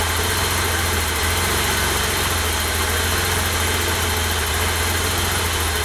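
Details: 1988 BMW E32 735iL with rebuilt M30 B35 straight-six, first start after the rebuild (fuel pump primed; original block had 395k): steady, even idle with a low hum and light hiss, no ticking, knocking or hunting; normal idle.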